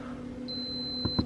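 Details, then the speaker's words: Giandel 1200W inverter in a RAV4 Prime, which stopped working after running around 900 W to charge a motorcycle battery: single long high beep over a low hum, then two thumps, with the display showing overload after a reset; owner suspects the inverter is damaged. "It shouldn't say overload. Why would it say overload? I don't understand. What happened? I broke it, guys."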